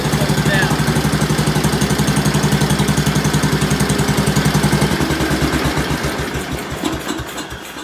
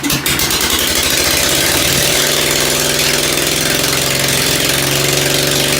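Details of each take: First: Ford engine after tune-up, started with a little throttle: idles right away with an even, steady thump, settling smoothly with no misses and no smoke; idle may still be turned down slightly. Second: Ford engine just reassembled after tune-up, muffler removed, first carburetor tuning with only the high-speed needle set: loud open exhaust, ragged uneven firing and pops at low revs, then a harsher steadier roar; owner suspects low-speed mixture too lean.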